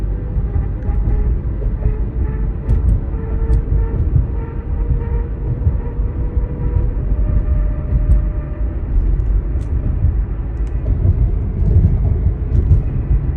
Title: I hear this noise when I accelerate on my 08 Hyundai Santa FE AWD. What could be the problem?